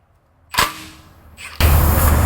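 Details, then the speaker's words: Pre-buy inspection differential service: a sharp pop, then a short loud hiss of trapped air as the fill plug is removed before draining; the pressure can cause leaks and usually means the diff breather is gooped up or clogged. "who you hear that air that'll cause leaks I don't know if you guys could hear that on the camera but that usually means that the diff breather is gooped up"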